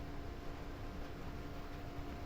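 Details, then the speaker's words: STB HG680P set-top box modded with a 4 cm DC cooling fan wired in parallel to the power switch (suck/blow-out mode), just powered on: a small fan's steady, constant hum with faint fixed pitch, no rattle or wobble; fan running normally. "dilihat bisa didengarkan juga ya masih hidup"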